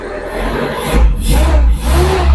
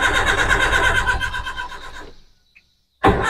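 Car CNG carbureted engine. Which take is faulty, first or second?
second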